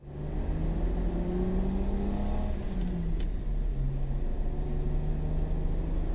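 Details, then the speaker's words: Jeep with manual transmission on test drive after belt squeal fix: engine pulls smoothly through higher rpm under load, steady rising drone, no squeal or chirp; squeal had appeared above 2000–3000 rpm; normal belt drive. "So anyway guys, there you have it. It's all fixed. There's no more issue. I don't hear a squeal or anything like that."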